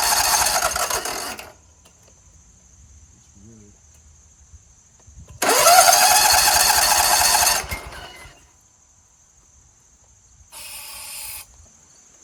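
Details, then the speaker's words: Scag Tiger Cub 48-inch commercial zero-turn mower with dirty, oily carburetor, sprayed, on a jump starter with seat switch not engaged: three bursts of fast cranking, engine never catches. Cause suspected, not confirmed. "not at all it's possible that it won't start because I wasn't sitting on it"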